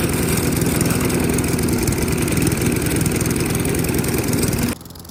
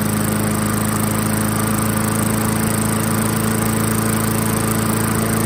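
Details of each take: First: 1994 Murray mower, 3.8 hp Tecumseh TVS90, replacement carb after 20 years stored; runs but skips with a lumpy, uneven idle set too low, smoothed by raising idle with the screw at the carb bottom. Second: 1994 Murray self-propelled mower, 3.8 hp Tecumseh TVS90, stored about 20 years, with replacement carburetor after idle screw adjustment: steady, even idle with firm low hum, no skipping; previously skipped with idle too low.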